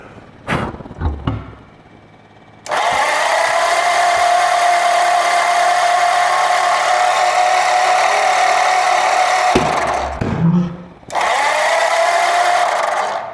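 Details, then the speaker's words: Flathead V8 pulled from a barn, on a homemade engine run stand, cranking without firing: the starter whirs steadily at about four light, even beats per second with almost no compression; the compression test then shows nothing, and the owner suspects something got stuck. "That really does not seem Like there's a lot of compression here. That's not cool."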